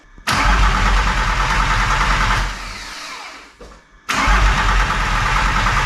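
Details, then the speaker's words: VW T4 Caravelle Synchro 2.4D AAB diesel, first start after a complete overhaul with only a short front exhaust pipe fitted; loud ragged clatter that sags, dies and catches unevenly because of lots of air in the fuel line. "Runs, but there is lots of air in the fuel line, so that's why."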